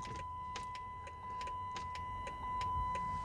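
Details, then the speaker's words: Chrysler 300, long-sitting, rusted, towed in with no-start no-crank, solenoid click now gone: crisp evenly spaced clicks about one and a half per second over quiet cabin hum are the turn signal flasher ticking, working normally. "what you hearing there is a fact let me turn it off turn signal"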